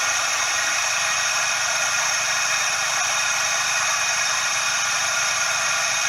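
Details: Suzuki Every DA64V engine, close up: constant dry rushing "shaa/jaa" hiss with no knock, steady with engine speed; belt tensioner bearing noise from lost grease.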